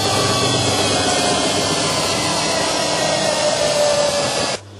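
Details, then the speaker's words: Samsung washing machine after replacing worn tank shock absorbers, previously jumping and rattling: the drum spins at maximum speed with a smooth, even rushing hum and no rattling or banging, then winds down. Normal high-speed spin. "Now the washing machine is running at maximum speed.... The rattling has disappeared and the shock absorbers work as"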